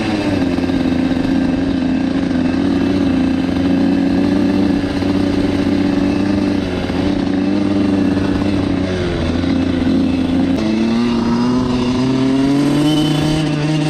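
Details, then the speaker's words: Dirt bike single-cylinder idle hunts, wavers, dips, stumbles and surges unevenly after wheelie attempts; owner unsure if overheated, suspects carburetor problems; rough running, cause unclear. "i don't know guys i don't know that doesn't sound good"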